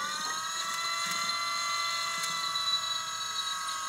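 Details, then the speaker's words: Volvo electric power steering pump swapped into a 1986 Trans Am, key on, mic placed near the pump, no fluid reaching the steering box: quiet steady high-pitched electric whine of constant pitch, not very loud; pump motor runs normally. "that's not very loud"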